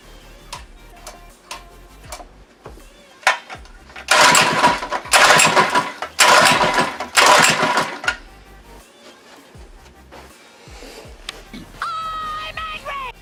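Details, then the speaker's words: Monster Moto / Mega Moto 80cc mini bike unstarted for six months, choke on; four or five quick rope pulls spin it with a rasping whirr but it never fires; cranks but will not start, cause unconfirmed. "say it's being a real booger because it's been six months since you started it"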